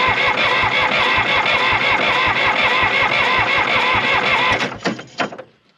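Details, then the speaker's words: Old John Deere 350B crawler dozer diesel, injector lines cracked while cranking: steady cranking, never catches; no fuel spurts from the injectors, so no fuel is reaching them. "Not seeing anything. That's not a good sign. That means we're not getting fuel."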